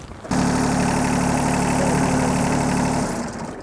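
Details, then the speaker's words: John Deere 755 compact tractor on a cold November day: a steady, even idle for about three seconds, then it cuts out suddenly and winds down; the fuel shutoff solenoid is shutting the engine off. "okay so what i see is that the fuel solenoid has opened up uh has shut it shut it off so it is the fuel solenoid"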